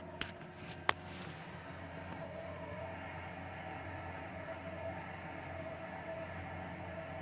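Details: Viessmann boiler indoor unit makes an abnormal noise while heating hot water: a steady low rumble with a faint whistle that comes and goes; cause unknown.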